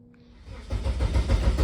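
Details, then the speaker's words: Eagle Talon with SRT4 engine swap on MegaSquirt: engine spins over with dull, uneven low thumps but never catches; crank no-start, crank sensor losing sync. "um the way that I fixed this was the crankshaft position sensor need 12 volts not the five volts reference because it's a hollow sensor"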